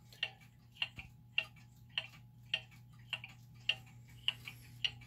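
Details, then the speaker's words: German time/strike clock after leveling and a pendulum crutch adjustment: crisp, evenly spaced ticks about every 0.6 seconds, tick and tock equal with no limp; the clock is now in beat. "now we've got the clock that's in B we think it's pretty level"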